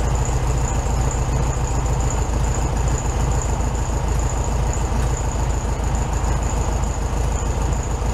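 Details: 1967 VW Beetle 1500cc air-cooled flat-four, warm idle after carburetor refitted with new base gasket (second fix); even, steady chuffing, a touch fast, no misses, knocks or hunting; healthy idle, slightly high.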